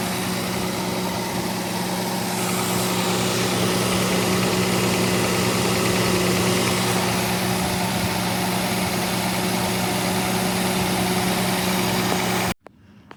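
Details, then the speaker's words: Austin K9 truck engine running during restoration: low, uneven, lumpy thumping misfire, then it suddenly dies; owner unsure whether out of fuel or from the misfire. "So it just died on its own. I don't know if that's because I've run out of fuel or because of the misfire, because every time you could hear it thumping and misfiring, it was going all over the place."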